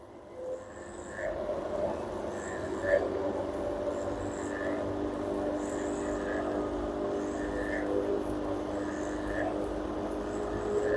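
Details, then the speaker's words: LG F1280QDP2 front-loading 6kg washer/3kg dryer after main PCB power IC repair: direct-drive motor hum climbs smoothly through spin steps toward 1,200 rpm maximum, even tone, no knocking or grinding; healthy spin, drain motor also working. "now our job already completed the motor DD motor is working and we can drain motor also working [Music] now again I I will press one it increase RPM until"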